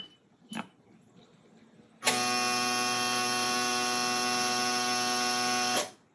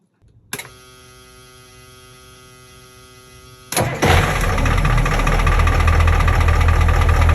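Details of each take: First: Boat engine no-start: steady harsh electrical buzz for about four seconds, then stops, with no cranking or firing. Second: Boat diesel engine with newly installed starter, started away from the helm: quiet whir, starter catches and engine fires into a steady even idle with low throb; starts cleanly, though helm starting was the original problem.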